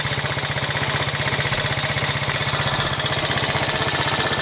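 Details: 1986 Honda Z50J Monkey single-cylinder after rebuild, with the exhaust and carburetor repaired. Quick, even exhaust popping at a steady beat with no stumbles; it idles healthily.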